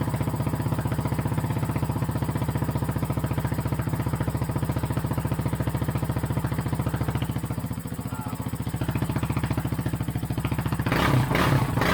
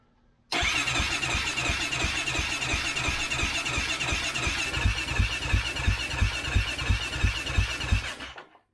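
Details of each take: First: 2008 Kawasaki KFX450R sport quad, sat unused and would not start, running on its original fuel injector: steady, even single-cylinder thumping with no misses or knocks, very loud through an exhaust whose baffle was possibly tampered with. Normal running. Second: 2008 Kawasaki KFX450R, fuel-injected, sat in a barn with stale ethanol fuel: steady cranking with even thumps about three per second and good compression, but it never catches. It is hinted that the fuel pump does not prime at key-on.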